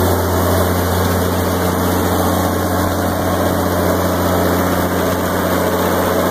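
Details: 1986 Onan 30.0 EK-15R 30 kW gasoline generator with 242.4 hours, 60 Hz and set up for 240/480 V, just after start-up: a steady, even low hum with no knocks, misses or surging. It is running smoothly and healthy.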